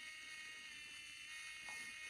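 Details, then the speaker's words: Geeetech SL300 3D pen version 3, unloading filament: thin, steady high whine from the tiny geared motor running evenly in reverse with no catches or stalls; loading and unloading work normally. "So the loading and the unloading does work."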